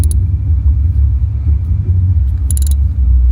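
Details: 2011 Toyota Camry with code P0302, cylinder 2 misfire, before spark plugs and ignition coils were replaced: low, uneven idle with irregular dips and stumbles, single-cylinder misfire.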